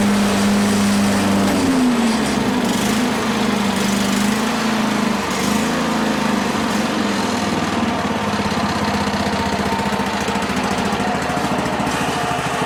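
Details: Toro 21-inch mower single-cylinder engine after carburetor cleaning and reassembly: steady buzz, then pitch dips and wanders slightly, hunting; mixture adjustment running lean, a possible rattle also noted; engine hunting from lean mixture.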